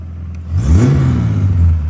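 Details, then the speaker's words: Ford AU Falcon after backyard harmonic balancer repair, in neutral, just started: engine climbs cleanly through a quick blip and settles back without clatter or hesitation; normal free revving. "Sounds like a car now. Sounds like a car. See if it revs."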